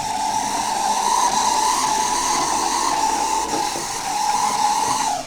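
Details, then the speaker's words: Second-hand Oxford Rail Class 415 Adams Radial 4-4-2T model locomotive on a test track with a Gauge Master Combi controller: thin steady high whir with slight rough buzz; motor noise, suspected to need lubrication. "Okay, something sounds like it could do with lubricating. That is definitely a motor sound."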